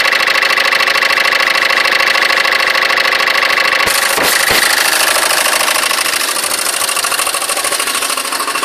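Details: Citroen C3 engine at idle: steady idle with a fast, even ticking over it, about three per second; engine noise, cause not pinned down.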